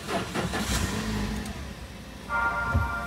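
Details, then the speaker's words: Toyota Avanza 2022, simulated fuel pump not working fault, pump activated via scan tool: short cranking, then engine fires and runs steadily with a light rev; normal start. "Oke. Dan ini mesinnya sudah menyala ya, kita gas. Bagus ya."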